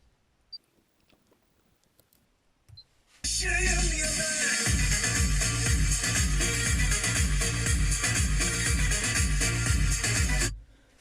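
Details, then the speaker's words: Honda Civic 7th gen (2001-2005) left driver-side front door speaker playing music cleanly at volume 15, full bass and clear highs, no crackle or rattle, compared against the blown, distorted right front speaker. "sol tarafın sesi çok temiz"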